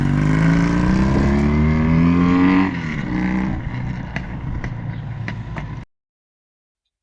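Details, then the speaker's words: 1981 Yamaha XS650 twin, revived after years sitting with new fuel line, on its first ride: revs up crisply, then settles to a steady, even beat with no knocks or misses before shutting off. It runs healthy. "so but she runs she drives so next big purchase is tires and lights"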